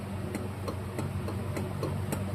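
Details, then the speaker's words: 1977 Bolens G10 Briggs & Stratton starter on the bench after gear replacement, armature turned hard by hand: sharp ticks about three per second; suspected loose field magnet catching inside. "Can Can you hear that? I'm sure you can hear that. I don't know if that's normal or not. It seems a little suspect."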